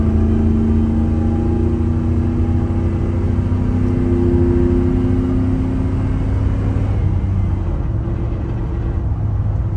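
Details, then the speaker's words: 1997 Dodge Ram 1500 with 318 ci 5.2L V8, driving at road speed: steady low drone and whir from the rear end under the engine note; the pinion nut kept backing off and a U-joint looks wrong; rear axle noise, cause unconfirmed. "It's got good power, that's for sure. It is making horrendous noises out of the rear end."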